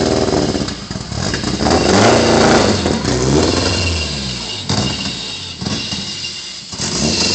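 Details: Nissan KA24DE dual-cam swap replacing single-cam, loud raspy four-cylinder stumbling as revs surge and sag, ignition timing not yet set and exhaust not fully bolted on, puffing leak; rough running from bad timing with exhaust leak.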